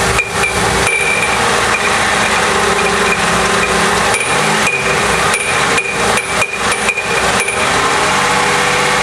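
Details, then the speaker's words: GM 3.8 engine, started then revved: loud metallic clatter and irregular banging up front, easing when revved under torque and returning as rpm drops, sounding like metal banging around at shutdown. Failed harmonic balancer. "first I'm going to start it and then we're going to rev it up for you and listen to the noise now if you hear that noise it sounds like something's cling inside the engine and it can kind of sound bad"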